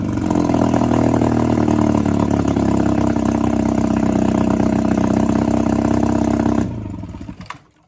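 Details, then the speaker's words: 1962 Viking 15 hp two-stroke outboard after refurbishment, with replaced coils and set points: a steady, even buzzing note holds speed without misses, then is switched off and spins down; normal running. "It's uh It sounds like it'll run pretty well. So, uh, I'm happy with that."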